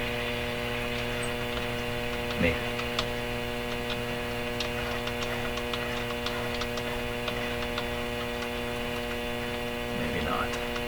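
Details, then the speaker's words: RCA Victor Model 911KG radio, testing the motor-driven tuning system across shortwave bands: loud constant low hum, no stations received; hum not noticed the day before, cause not yet found. "So, I'm going to shut this off so we don't have to listen to that terrible hum, which I don't recall that being there yesterday."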